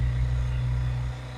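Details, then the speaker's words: Kohler marine genset on a boat, test run with the shield off after a spark plug change for a low-output issue, with no load applied yet. A steady, even low drone with no knocking or surging. Normal running. "Sounds good. We'll check later and put some load on it, see how she performs."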